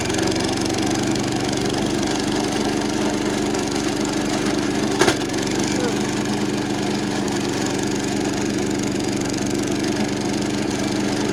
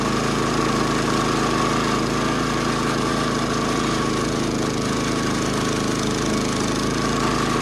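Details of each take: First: 70-year-old National reel mower, Clinton engine under mowing load: strained, low drone with one sharp clack, sounding like it's working super hard; flywheel found cracked and loose. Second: Roughly 70-year-old National reel mower with Clinton single-cylinder engine, after new points, tank flush, carb clean and replacement flywheel, mowing grass; even steady chatter under load, no misses or rattles from flywheel cover; running healthy.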